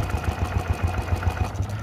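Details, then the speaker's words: BS6 TVS XL100 scooter: self-starter spins the engine in an even chugging rhythm, about seven beats a second, but it never fires; sensor warning light is on. No start due to failed fuel pump not delivering petrol. "బండి start చేస్తే ఈ రకంగా sound వస్తుంది. బండి అయితే start అవ్వట్లేదు అనమాట."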